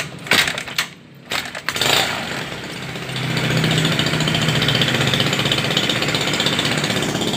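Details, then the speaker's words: Honda Beat carbureted scooter: it revs, then hangs at a flat, strained drone at about half its proper revs. Suspected carburetor fault: dirt, a torn or folded vacuum diaphragm, or a sticking slide piston. "Mungkin ini hanya separuh putaran saja tidak mencapai top speed atau putaran yang sebenarnya"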